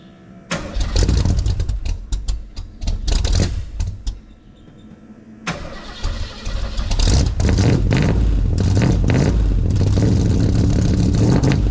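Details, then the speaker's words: Ford 351 (5.8) V8, ice-cold start: several cranking bursts, then a loud, raw, booming run because one of the two mufflers was lost, leaving the exhaust open. "used to have two exhaust tips one that came out on each side like that but coming back in from Power Tour last year I had lost a muffler"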